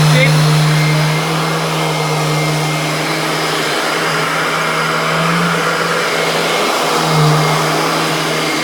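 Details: Mid-1990s Royal Classic Edition 4000 metal upright vacuum, large motor, switched on; loud steady motor roar with strong low hum at even speed, healthy, just noisy by design.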